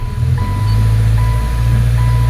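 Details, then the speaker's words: 2013 Subaru Impreza GJ, naturally aspirated FB16, which stumbled under load, after replacing the original coils at 17,983: a steady brake-torque drone in drive with no stumble and an intermittent beep, check engine light on, running clean. "in drive loaded excellent no hiccup nothing that was a sure thing with the previous coils"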